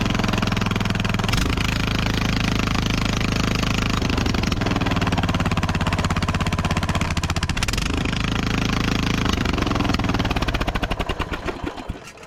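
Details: Craftsman riding mower that previously had no throttle response, run with a plugged muffler cleared out: loud, open, rapid-firing small engine revving freely and holding speed before shutting down.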